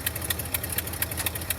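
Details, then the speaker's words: 1971 Ford F250 Highboy V8, first cold start after winter storage, choke working: sharp even ticking about four a second over low idle rumble from an exhaust leak at a bolted fitting. "have an exhaust leak right here there's a bolt fitting but"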